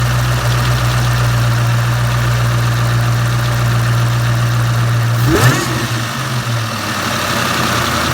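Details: 2003 Mustang Cobra SVT clone, boosted to 17 psi on a safe tune, warm at idle: light quick tick about four per second; only when warm at or returning to idle, oil pressure good, lash adjusters/lifters and roller rockers replaced; began after high-speed 5th-gear run when alternator quit.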